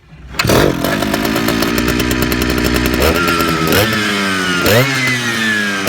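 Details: Big Jonsereds chainsaw: revs hang high, then sag and climb back repeatedly; owner suspects fuel line or seals (carb kit) needed; engine surging.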